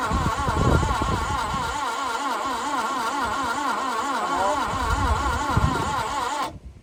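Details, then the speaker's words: Parked carburetted 1988 Subaru Brat/Brumby that the owner says ran poorly: the starter churns at about four even beats a second with no firing; testing found it down on compression. "Nothing. Nothing. Wonder if a bit of throttle will help it. No, there was a bit of a gallop there, but nothing definitive."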